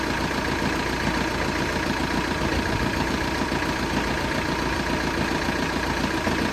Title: Knocking noise may video